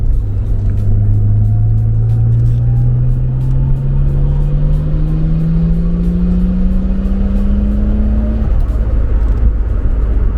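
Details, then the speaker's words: Nissan Skyline R32 with a budget Maxpeedingrods turbo and R35 GTR coilpacks, on a long full-throttle pull: strong note climbing steadily in pitch without stumbles. It runs well under full load, slightly on the rich side: normal full-load running. "It's running good, like especially when you're like under full load. It could be a bit less rich, a bit on the leaner side, say it like that, but like in general."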